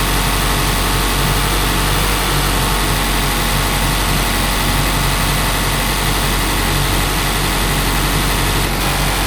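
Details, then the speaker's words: 2018 Mazda CX-5 petrol engine right after replacing the old water pump, while bleeding the coolant: steady, even idle with a smooth hum and no rattle or grinding from the front; now runs much quieter, normal idle. "right when I turn on the car this engine is way quieter now man I'm just glad that it was just the water pump not the whole entire engine"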